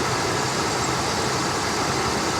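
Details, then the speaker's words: 1988 Mercury Cougar XR7 5.0 V8 bought at auction, warming up after an earlier brief lifter tap: even, steady low V8 rumble with no misses or knocks and no smoke; a settled, healthy idle. "wow the 5.0 lives no smoke no nothing you're a little rev she's warming up"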